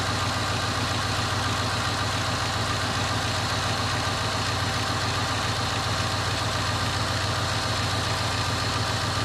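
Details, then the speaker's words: 2001 Cadillac DeVille cold start after new starter: smooth, even low rumble at slightly raised cold-start speed, no misses or knocks; idles healthy, owner says it sounds good. "come on baby sounds good all right see i've got the power oh good sounds good it feels good"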